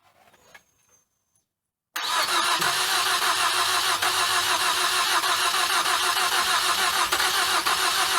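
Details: Damaged engine with cracked cylinder head, water and fuel sprayed out while cranking without plugs, plugs and coils refitted: silence, then loud, rough, ragged run; struggling to catch.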